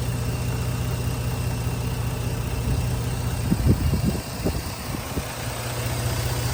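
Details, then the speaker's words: 2009 Jeep Grand Cherokee after dealer repair of low oil pressure: steady even low idle rumble with no knocking or ticking, quiet and smooth; some smoke, owner guesses oily residue burning off. "and it sounds good it sounds quiet"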